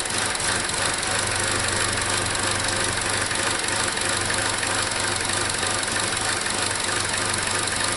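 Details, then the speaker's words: 2017 Chevrolet Trax 1.4L (LUV) with code P0171 lean, idling during a vacuum leak check; uneven, slightly lumpy idle with a loud hiss over it; rough idle, no vacuum leak felt or heard at that spot, tissue not drawn in. "sounds a little rough but anyhow i don't hear or feel any vacuum there"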